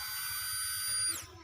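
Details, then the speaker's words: 2008 Daihatsu Xenia new replacement fuel pump, bench-tested outside the tank with ignition on: thin steady high-pitched electric hum for about a second then smooth wind-down; pump runs fine, replacing old pump that sounded rough. "Ini sudah dites di luar dan dipastikan ini tadi sudah nyala, sudah bunyi. Baru kita pasang ke tangki."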